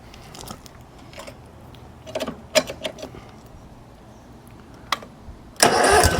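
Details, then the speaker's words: Small air-cooled engine after fuel line, fuel pump and carburetor work (it ran fine before teardown); handling clicks, then it catches and runs with a steady, even note, healthy. "yeah it runs just as good as it ever"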